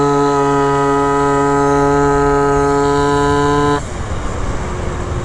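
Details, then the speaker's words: Malaguti F12 70cc two-stroke scooter with 5.5 g rollers; a flat drone that won't climb, a rich boggy sound rather than lean detonation. No power; owner suspects the 19 mm carb with 100 main jet is too rich. "that thing's a dog dude it's not like a lean detonating sound it's like a rich boggy sound and i'm starting to think it's really solely because of the carb setup i got on here"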